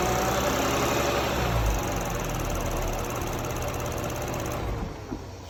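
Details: Toyota Crown 200-series 3.5 Athlete, 65,000 km, oil changed every 3,000 km: steady rattle about four per second over idle with a thin high whine from the engine; engine rattle and whine, cause unknown.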